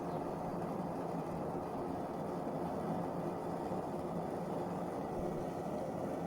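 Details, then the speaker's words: Optimus 99 stove burner lit after alcohol priming, running at full flame: loud, even, steady roar with no sputter, pulsing or popping, transferring a lot of heat into the case; burner running cleanly. "Listen to that roar. It does transfer a lot of heat into the case."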